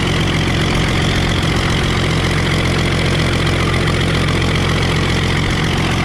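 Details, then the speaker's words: Circa-1960 Case 930 diesel tractor, possibly its first start in about 14 years: steady even idle, firm low beat, no knocks or misses, only an occasional slight miss; little blow-by, running smoothly. "That's idle speed right there. We're not missing on a cylinder. I think this thing's gonna be okay."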